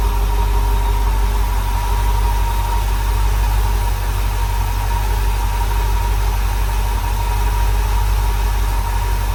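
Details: Rebuilt small block Chevy V8 in a dump truck on first startup, timing not yet set: steady idle with a faint constant high whistle over an even low rumble. The owner wonders if it is because the air filter is off; the cause is unconfirmed.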